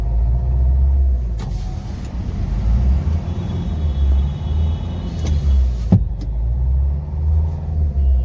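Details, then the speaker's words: Nissan Terrano diesel (code P0203) being driven to the garage after a breakdown: rough uneven running with heavy lumpy "tak tak" knocking and misfire; an injector is not working properly, and scanning is planned to find which one. "इसका injector है काफी ज्यादा knocking कर रहा है क आवाज कर रहा है कोई इंजेक्टर इसमें ब काम कर रहा है प्रॉपर काम नहीं कर रहा इजन मिशिंग ज्यादा है"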